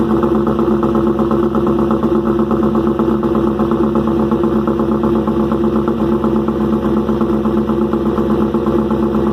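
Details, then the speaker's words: First cold start of rebuilt engine "Promise" after replacing fuel injectors and O-rings: busy, rattly idle with fast, even valve-train clatter and a loud exhaust, smoking and oil thrown. New lifter package is louder, but this seems excessive. "well it cranked right up motor is a little noisy i'm not sure what that's about"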